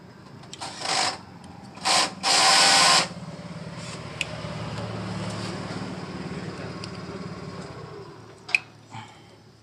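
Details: Honda Beat ESP (non-ISS) after fitting a new ECU and fixing a torn CKP sensor wire: after a few clicks, a low steady electric hum for several seconds, the fuel pump priming normally at key-on before the engine starts.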